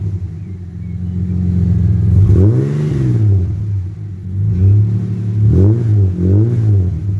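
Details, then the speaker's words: AU Ford Falcon with new extractors and high-flow catalytic converter, cold and smoky engine: deep even idle burble, then clean blips to about 2000 rpm rising and falling smoothly. Exhaust sounds alright. "Sounds alright, I didn't rev past two grand. She's cold, she's smoky."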